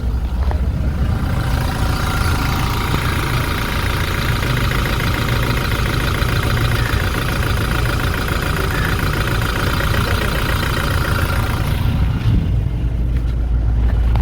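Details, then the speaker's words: Toyota Hilux 1GD diesel with knocking and black smoke, at idle with one cylinder cut: low chugging with a slightly uneven beat, gear shifter shaking lightly; rough idle, cause not pinned down. "ये देखें, गाड़ी हिलने लग गई है, लेकिन ज़्यादा नहीं हिल रही, हल्की हिल रही है।"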